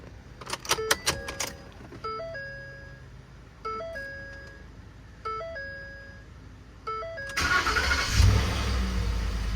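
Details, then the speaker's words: 2011 Ford F-150 5.0 Coyote after replacing burnt fuse #27 for the fuel pump, fixing a crank-no-start: dash chimes, brief crank, catches cleanly and settles into a steady run; normal start. "And now we should hear the nice sound of a fuel pump running when we put our key back in here."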